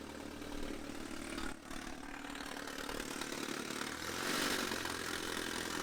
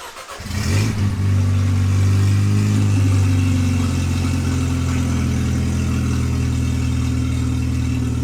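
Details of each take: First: Supercharged Mercedes C230K W203, manual, 183,000 miles, with the sensor out: loud exhaust but steady, even idle with no misses; normal smoother idle, crankcase pressure still high. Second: Supercharged Mercedes C230K W203, manual, 183,000 miles, started with open headers and catalytic converter removed: engine fires, flares, then settles to a very loud, deep, raw, throaty drone; open exhaust, header and cat to be replaced.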